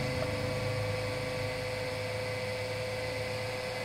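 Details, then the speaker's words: Water pump switched on to prime, drawing water up from a bucket to the top outlet, about 13–14 seconds: steady motor hum, constant mid-pitched tone and airy churn, no water surge yet; still priming. "sekarang pompa akan saya Nyalakan kita perhatikan beberapa detik pompa ini bisa menghisap ya dari ember sini sampai dia nanti keluar airnya lewat atas"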